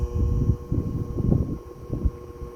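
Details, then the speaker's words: 1936 Westinghouse PowerAire 'Darth Vader' 10-inch single-speed oscillating desk fan, before restoration: steady electrical buzz under rushing air from the windings, which need revarnishing. "It is noisy. It does buzz. And it's shaking the camera around for the airflow. But it works. That really prominent buzz is a telltale sign that it needs revarnishing on the windings."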